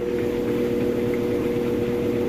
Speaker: Okay, and we've moved into the final spin. It's actually spinning nice and fast right now. You can see, smooth, sounds great.